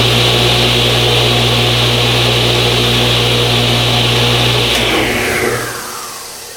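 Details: New Original Saw model 3512 radial arm saw, first start after wiring to a 50 A breaker: strong steady hum with even high whine, no rubbing or rattle, clean coast-down; healthy motor.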